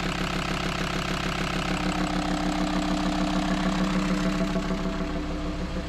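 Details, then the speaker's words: VW Transporter T5 diesel after camshaft and lifter replacement, idling with open intake: loud intake roar, the previous knock gone, only a faint light hydraulic lifter tick remaining. "Donc on n'a plus de cognement, donc c'est bon. Après, il y a un petit cliquettement des poussoirs parce"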